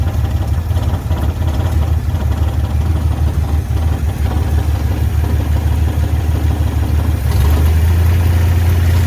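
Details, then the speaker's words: 1967 Jeep CJ5A with Dauntless V6, dual exhaust, just revived after sitting in a garage: low, steady idle rumble with an even beat lifting slightly near the end; no misfire or knock, healthy idle. "Purrs like a kitten."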